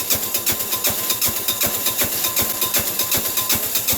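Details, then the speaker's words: Sears Suburban 6 hp diesel tractor in freezing cold, starter frosted, block warmed with a propane torch: even chuffing cranking at about 2.5 beats per second with weak firing pulses that never catch; cranks and fires but won't start. "like it's going but it's not"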